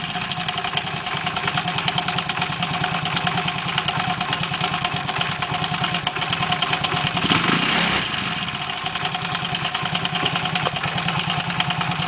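Idling engine with an uneven, rapid ticking patter over a raspy note; something is clearly off, but the source isn't pinned down.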